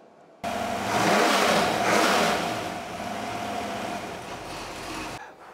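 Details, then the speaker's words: RPI 4.6 Rover V8, Stage 1 heads, Piper 270 cam, Edelbrock carburetor, RPI ignition kit, fresh build on engine test bed for a Range Rover Classic: clean crisp revving, smooth even firing, no knocks; normal. "connect our amplifier to the distributor fuel to the carburetor and it will make these noises"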